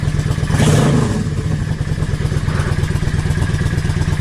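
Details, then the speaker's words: Yamaha XVS650 V-Star 650 V-twin, warm, after going from a #20 to a #22.5 Mikuni pilot jet (120 main, needle 4th slot, cut slide spring, 3.5 turns out): deep burble picks up cleanly on throttle blips and settles with no bog; throttle response better than before. "That sounds fantastic. It really, really sounds like it's got a little bit more purpose. Response to the throttle even better than what it did."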